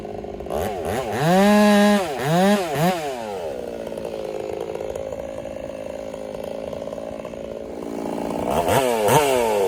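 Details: Ported Husqvarna 385 chainsaw during break-in, tune left slightly rich with a little top-end burble, cutting very hard oak: crisp rev-up, strong high revs held in the cut without bogging, clearing cleanly each pass; normal cutting under load.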